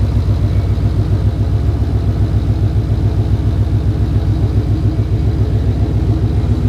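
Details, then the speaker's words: Coyote V8 swapped Fox-body wagon with a stick shift, idling after its first start; deep, loud, even lumpy burble with steady pulse, no misses or knocks, smooth like butter. "Man, it's just like sitting there just doing its thing. I know. Like butter."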